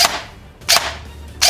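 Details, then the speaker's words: Cheaper airsoft AEG with a micro-switch MOSFET, wired to Tamiya, compared against the Novritsch SSR4: three crisp short snaps about 0.7 s apart with quick clean decay, no drag or whine, a healthy snappy gearbox cycle. "But for a $150 gun, that actually sounds really nice."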